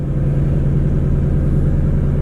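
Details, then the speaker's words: Wrecked S550 Mustang with 20,000 miles, first start during rebuild, new Mishimoto intake pipe, no coolant system connected, run only seconds: smooth even low hum, good oil pressure, no knocks, ticks or rattles; running cleanly. "Everything sounds alright, nothing's making any noise. There's no coolant system hooked up, so I'm not going to run it very long, just a couple seconds."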